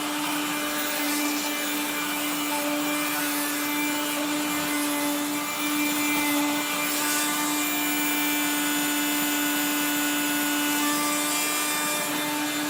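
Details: 1970s blue Regina Electrikbroom 3-speed vacuum vacuuming a floor: a steady motor hum with a rough, gritty grinding running under it the whole time, from motor bearings gone dry after someone washed the motor and fan.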